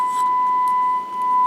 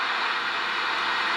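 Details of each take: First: Kenwood TM-451 UHF radio after PLL repair, with a wire run from test point 101 to the IC input to bridge the lost connection: clean steady tone with no crackle or dropout; radio receiving and working normally. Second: Kenwood TM-451 UHF radio, volume up, squelch at zero: steady, even hiss with no tone; the PLL is not locking because the VCO gets no control voltage.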